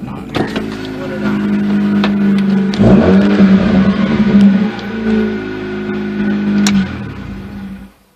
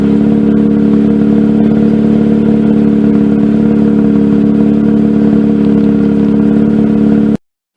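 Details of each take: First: 2004 Mazda RX-8, 105,000 miles, after new ignition coils, wires and plugs and a throttle body cleaning: starter cranks steadily about four per second for several seconds before it stops; hard starting, owner guesses ECU relearning idle after throttle body work. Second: 2004 Mazda RX-8 rotary, 105,000 miles, the day after fitting new Black Halo Racing coils, MSD wires and plugs, following rough running and throttle-body-related idle problems: a steady, even hum with no stumbles. Starts fine; normal smooth idle.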